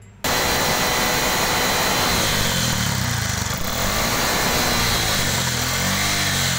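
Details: Bajaj Maxima Z LPG auto-rickshaw after its gas kit was repaired for jerking while driving: the engine catches and settles into a steady, even running note with no stumbles or surges. It runs normally.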